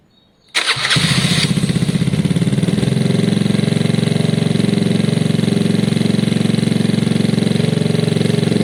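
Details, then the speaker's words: Gilera DNA 125cc scooter with upgraded carb, first start, airbox not yet connected: fires immediately and settles into a quick, steady single-cylinder putter with no misfires; healthy normal idle, though it doesn't like revving yet. "You can hear it sounds very healthy. Obviously it doesn't like revving at the moment, but I think with the airbox on it will be okay."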